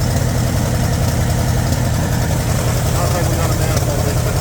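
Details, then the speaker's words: 1960 Pontiac Bonneville 389 V8 first run after sitting about 10 years: loud, lumpy idle with uneven lope, dead cylinders on one side trying to come back, a little blowby; misfire on dead cylinders. "cylinders on that side. We're trying to come back around. Little bit of blowby. Not terrible."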